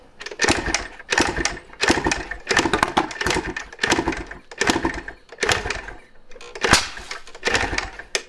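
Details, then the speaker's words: 1986 Yamaha IT200 two-stroke dirt bike kicked with the muffler and spark arrestor removed: each kick gives a sharp, forceful pop or two but never runs on, which shows the exhaust is clear. The cause is incorrect ignition timing. "Okay, that exhaust is clear. If it wasn't, it couldn't pop so easily and forcefully."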